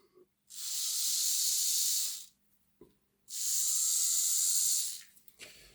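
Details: Original motor of an old Lima Class 40 model locomotive, after servicing and ultrasonic cleaning: two runs of harsh, high buzzing whirr, loud for its size and rough; the replacement chassis motor proved much quieter and was used instead.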